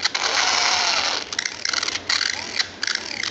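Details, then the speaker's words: Children's electric ride-on car steering motor before replacement: a rough, high-pitched whirring buzz in uneven bursts each time the steering is worked, from a worn-out steering motor, which is then replaced. "eu vou substituir o motor substituir para você olha o barulho que tá fazendo"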